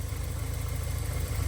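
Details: 1984 Porsche 944 after the running fault was fixed by pulling up some wires: a low, steady idle with an even beat and no knocks, stumbles or hunting; it sounds healthy.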